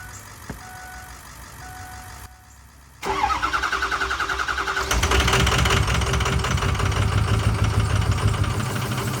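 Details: 2006 Ford F350 6.0L Power Stroke diesel, parked 2 years, after new fuel pump and sending unit: cranks, catches, then uneven lumpy clatter that surges; rough running, owner suspects air bubble/vapor lock in fuel system.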